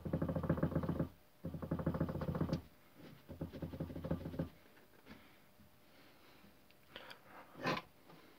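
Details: Toyota Corolla, in the cabin: bursts of dull, rapid clunks about four a second that come and go with steering movement; steering rack knock.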